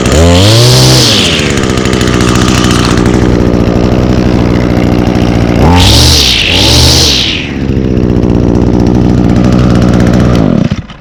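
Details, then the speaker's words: 2019 Echo SRM225 straight-shaft trimmer, two-stroke with i30 recoil starter: buzzes at a clean idle and snaps up to a high whine on each blip, returning smoothly; healthy. "and now this unit does come equipped with um echo's i30 recoil starter so it requires 30 percent less effort to hold the engine over as i will demonstrate now look at that um"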